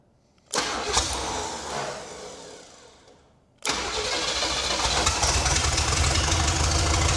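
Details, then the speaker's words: 1968 Buick Skylark GS California with swapped Buick 455 V8, long sitting, motor mounts unbolted, running off a refilled carburetor fuel bowl. Cranks, catches, stumbles, restarts and settles into a steady even run with no ticking or knocking; decent running motor. "But, no weird [snorts] noises, no ticking. Seems to be pretty responsive. Think we got a decent running motor."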